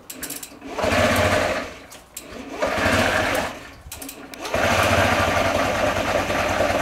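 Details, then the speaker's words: Honda Ruckus scooter first started on a borrowed battery after long sitting: slow, lumpy putter like an old tractor that sags almost to stalling, and it dies when given gas. Owner suspects a dirty carburetor. "running. Not the greatest. It sounds terrible. It sounds like an old tractor. Did they set their idle at 150 RPM?"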